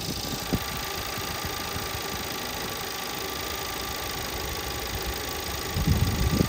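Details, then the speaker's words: 2017 VW Passat 1.8 idling warm: uneven stumbling beat with heavier thumps, random misfire codes on cylinders 1–4 after a few minutes running; new spark plugs fitted; fixed by replacing the camshaft timing solenoid. "that's the code we have Miss fire on cylinder one 3 2 4 random multiple misfiring"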